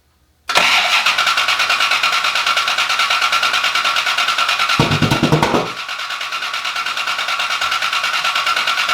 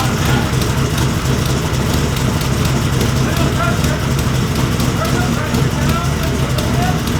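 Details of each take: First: Rebuilt wrecked Cobra, first start with Holley display: steady cranking pulse about three beats a second, never catches. No start from distributor installed wrong; resetting distributor made it fire immediately. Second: Rebuilt wrecked Cobra at first start with a Holley 12-inch display, oil pressure about 55. Steady, even idle with a firm low rumble and no knocks, misses or hunting. Temperatures, oil pressure and fuel pressure read fine: normal idle.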